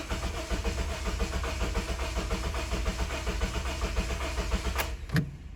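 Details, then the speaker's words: 2007 Honda Civic 1.8L four-cylinder with a crank-no-start complaint and no fuel pressure from the pump: the starter turns the engine for about five seconds with an odd, slightly uneven rhythm but it never catches; crank no start from a fuel pump power fault. "all right so as you guys can see it cranks but it does not start now the only other thing that i don't like if you guys noticed is the way this thing cranks it's kind of got an odd rhythm to it"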